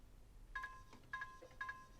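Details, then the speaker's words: Original Xbox One after a disc drive replacement, with the startup chime setting turned back on: three clean two-tone chimes. Normal startup chime. "I didn't know there's a setting in the settings where you can actually turn the startup chime off so now it chimes"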